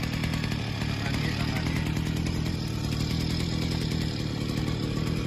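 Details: Mitsubishi TU43 brush cutter, 42.7 cc two-stroke with CDI ignition and float carburettor: steady buzzy drone with an even firing beat and no misses, knocks or surging; runs smoothly.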